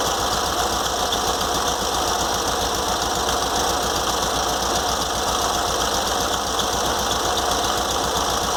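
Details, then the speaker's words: Air-cooled VW Fusca (Beetle) at idle after cleaning the fan shroud (capela) and reassembling: fast steady ticking with a light whir remains; alternator fan had been rubbing the shroud tin, remaining noise suspected to be a bearing inside the alternator, not confirmed. "limpei a capela por dentro limpei o treinador e montei de novo para tirar o barulho mas ainda tá um pouco de barulho ainda porque provavelmente é um rolamento aqui dentro do alternador"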